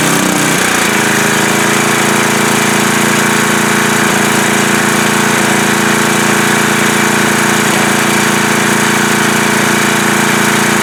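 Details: Coleman Powermate MAXA 5000 ER generator running after carburetor swap (needle from new carb fitted to old) and air-fuel mixture leaned out from rich; steady even drone, no misses or surging; runs well with minor issues, possible clinking behind front cover.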